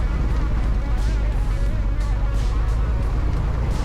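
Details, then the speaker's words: 1962 Piper Comanche 250 long-stored, idle-only mag check: low idle rumble turns slightly uneven when switched to one magneto; mag definitely weak, plugs possibly dirty or coil suspected, not confirmed. "the mag's definitely um weak as I was switching it over plug Dy clean"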